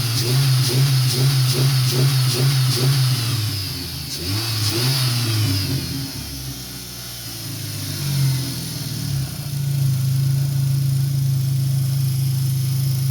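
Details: 2003 Dodge Neon 2.0, after the failed MSD coil was swapped back to the original coil. It blips up cleanly and settles to a smooth, even idle with no stumble or misfire. Revving is normal after the fix.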